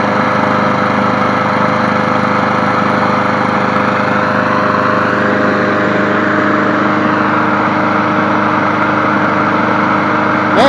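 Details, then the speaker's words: Craftsman 22-inch push mower model 917.385320, running after a successful restart, cord not shaking, blowing grass out: steady, even buzz at constant speed with no surging, sputter or knock; normal running. "she sounds good. I would have been that a little bit more straighter. Man, she sounds good."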